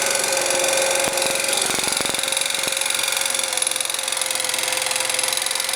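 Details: Scooter engine with new crankshaft, bored cylinder, new piston at 0.04 mm clearance, new camshaft, chain, tensioners and variator: sharp ringing metallic knock three or four times a second following engine speed.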